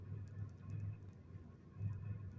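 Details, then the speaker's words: 2001 Chevrolet Monte Carlo LS 3400 idling in park after being in reverse: low, lumpy idle with uneven thumps and surges. Codes show multiple-cylinder misfire. "so uh that's how rough she's running when I put it in park there at first I had it in reverse and you know when the video first started is in reverse and then I put it in park and it the uh idle come up some but it you can still hear it"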